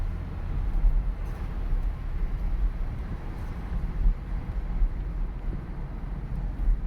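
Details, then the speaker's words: 2009 Impala after replacing wheel hubs/bearings and a drive axle: low, even road rumble while cruising, the earlier grinding gone, silent wheels. "i don't hear that stupid grinding noise no it is silent it is silent yeah baby listen to that no more"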